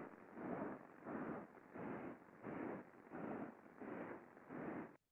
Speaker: we hear that modulated sound that whoosh whoos whoos as it is turning and I can see over here in my my fft or my Spectrum I have a repetitive impact or noise that's being generated uh every time it uh there's a revolution